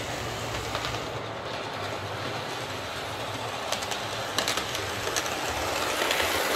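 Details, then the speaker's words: Lima L201645 Class 55 Deltic model locomotive, secondhand non-runner, after filing plastic flash off gears: soft even rolling hiss with light rail clicks, no gear whine or grinding; runs much quieter and smooth. "so that's certainly running an awful lot quieter um i think filing those gears down has been the the secret there to getting this running quiet"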